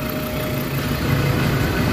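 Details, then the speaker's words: Ford Ranger 3.2 diesel idling: a low, smooth, even rumble with no shake. The earlier strong vibration is gone and the engine is quieter. Idle is normal. "Hindi na ganon kalakas. Yan o. Nawala na yung vibrate."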